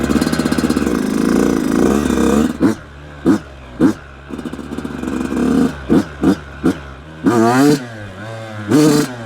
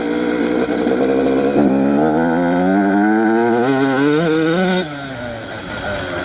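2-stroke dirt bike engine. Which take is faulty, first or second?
first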